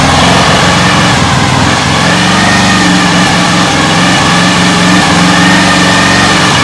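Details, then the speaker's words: Lawn mower engine on homemade air-cooled outboard hunts at low throttle, buzz pitch drifting up and down irregularly; owner suspects the carburetor has no idle circuit so it isn't meant to run that low. "it is searching a little bit but I don't think the engine is in the carbur carburetor it doesn't maybe it doesn't have an idle circuit so it's not meant to go that low"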